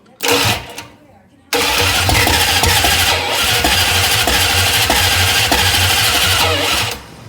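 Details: 1966 Plymouth Barracuda with a rebuilt 1967 273 V8 (replacing the seized original), first fire: the starter cranks at about 3.5 turns per second for several seconds but the engine never catches. Timing is suspected; new points and a timing adjustment are planned.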